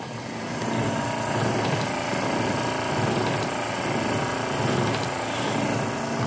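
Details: Triumph TR7 wiper motor after the parking fault was fixed, engine not running: an even electric motor whir with a slow swell each sweep and no grinding or catching; the wipers run and park normally.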